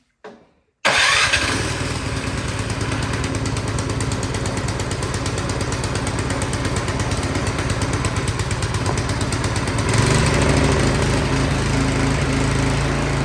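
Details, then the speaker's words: Craftsman single-cylinder snowblower that would not start, on choke after carburetor work: pulls over and catches at once, then a quick, steady putter that picks up slightly as the choke eases; running normally. "all right, that is awesome. It's running great."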